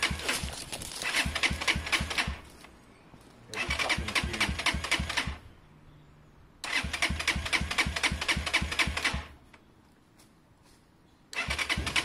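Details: SYM XS 125 single starting on a new up-jetted carb replacing a gummed-up one, fuel just turned on; fires and runs in short two-second bursts with a quick even beat, catching cleanly; starts normally, idle may need adjusting.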